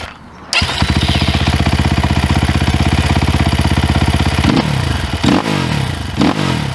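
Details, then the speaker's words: 2022 SSR Motorsports SR300 (SR330) single-cylinder dirt bike with FCR carburetor, fuel screw just set until idle stopped rising, idle brought down, not yet fully warm: fires and settles to a crisp, even thump, then blips cleanly and drops back; carburetion sounds spot on, normal idle and revs. "Of course, when I get to Hollister and it warms up, this might change. I'd say that sounds pretty damn good."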